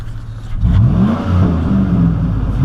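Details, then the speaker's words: 2004 Chevrolet Silverado/Sierra 5.3L V8 on a road drive after replacing the fan clutch with a new ACDelco unit: pulls hard and revs cleanly with no fan whoosh; previously as loud as a dump truck. "Oh yeah, that sounds way better. No more fan whoosh, everybody. We got her. Good deal. Glad that fixed it."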